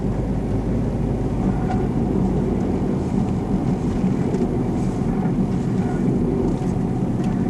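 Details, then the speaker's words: 2000 Plymouth Neon with rear drum brakes on a test drive: steady low hum and drone under road noise, rear wheel bearing suspected rather than brakes, wheel movement felt in turns. "I don't think it's a break issue after a while your ears get trained I have feeling a wheel baron"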